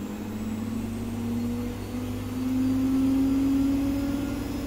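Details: Gorenje SensoCare WAE74 washing machine after motor bearing replacement: quiet, smooth motor hum rising as drum spins up to 1400 rpm in about 16 seconds, no grinding; normal spin, only worn pump audible.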